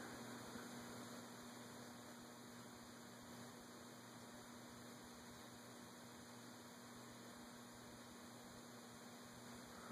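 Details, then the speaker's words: Envirofan Gold Line 36" model 136F reversible industrial ceiling fan running in reverse on low speed via custom four-speed control with a 1.5 µF capacitor; quiet even hum, no ticking, rubbing or wobble. "This rotor switch is low. Turn it once you get low. It's in reverse right now because that's probably what it's going to run, at least for right now. There's a 1.5 microfarad capacitor that's giving us that low speed."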